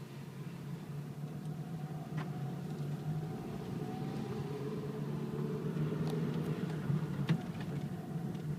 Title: 2008 Eclipse Rattling Sound